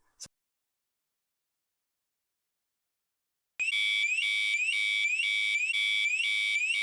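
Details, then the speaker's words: Victron Cerbo running Signal K server on a liveaboard sailboat at anchor: loud high electronic alarm chirping about three times a second, repeating; AIS collision alarm warning that a boat is about to collide. "you can hear the anchor alarm going off there. That's the boat about to collide with us, with Polarix."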